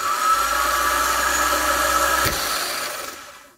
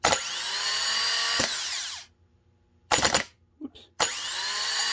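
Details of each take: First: Honda Fit starter (31200-RB1-013) bench-tested out of car, jumped from solenoid, mimicking cold-start screech: dry high whirring spin with raspy edge, fading as it coasts; suspected dry grease or worn bendix-end bushing letting the shaft wobble. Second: Honda Fit starter (31200-RB1-013) bench-tested after rebuild with new bendix bushing, 12 volts to solenoid: two bursts of free high whir with a crisp clack as bendix engages, then even wind-down; starter sounds healthy.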